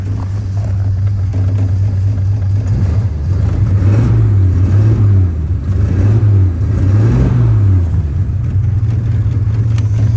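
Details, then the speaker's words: 1951 Studebaker with burnt exhaust valves, 12-volt starting on a 6-volt system: deep rumble rising and falling on throttle blips with small pops back through the carburetor from exhaust valves leaking gases. "You can hear it pop back through the carburetor a little bit when you rev it up. That's because those exhaust valves are letting gases by."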